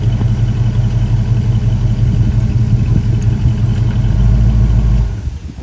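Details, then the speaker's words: 1965 Ford Ranchero V8 after new cam, lifters and timing chain to cure a valvetrain tick: steady, even rumble held at about 2,000 rpm for cam break-in, no ticks or knocks; runs healthy. "So it sounds good. We're gonna let it run at 2,000 for about 20 minutes, break the cam in, and then we'll drop it back down, check the timing, do all of that stuff, and then go take it for a drive."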